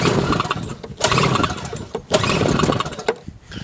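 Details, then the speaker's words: Sears snowblower with non-adjustable carburetor after carb rebuild, new float, bowl, fuel line, primer bulb and spark plug, fired on half choke: a few choppy pull-start bursts, then catches and pops unevenly while warming; starts fine. "It's always a good idea to run these things on half choke, probably for about 2 or 3 minutes when they're warming up"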